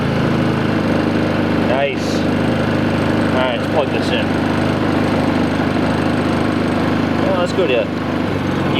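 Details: New Predator 3500 inverter generator running at a steady, even speed with people talking nearby; no hunting.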